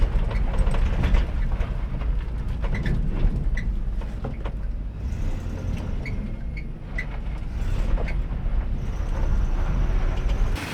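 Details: 1985 Chevrolet K30 CUCV after engine swap replacing the bad 6.2 Detroit diesel: steady low V8 rumble with no knocks or misses, running pretty good; throttle linkage noted rubbing.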